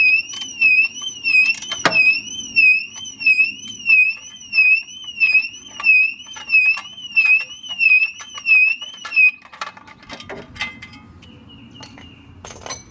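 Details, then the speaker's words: 2006 Mercedes-Benz W211 E350 4matic alarm siren, unit disconnected from the car during replacement: loud warbling high-pitched siren rising and falling about every 1.5 seconds, still sounding off its internal backup battery, slowly dying. "off you can hear it mechanically dying as [Music] well the car doesn't care anymore it's it's separate from the car now yeah there so basically how these work there's an internal battery in those it's going to keep doing this"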